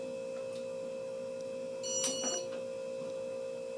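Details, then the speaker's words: Casablanca Zephyr ceiling fan on speed three after bearing replacement, installed flywheel facing floor: faint steady hum with light high ring, no grinding; grinding appeared only when flywheel faced up, now silent. "But now that it's installed this way with the flywheel facing the floor, they're dead silent >> as they should"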